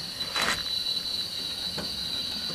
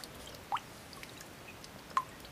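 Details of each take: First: 1156F quick-fill water pressure regulator on a boiler after disassembling and cleaning rust off the diaphragm: steady high hiss of water with constant thin tone, no chatter or surging, tapering off as valve closes; fixed. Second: Drain valve on an electric heating system, reinstalled with Teflon tape: single water drops landing about 1.5 s apart in a quiet room; still leaks however tight, rubber seal washer needs replacing.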